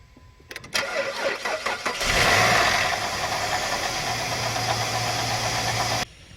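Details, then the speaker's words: Jeep Liberty KJ after replacing a failed, squeaking idler pulley: starter cranks briefly, engine catches and settles into a steady idle with no squeal or chirp from the belt; normal belt drive after repair. "let's start it up and see if it got rid of that really annoying squeak noise"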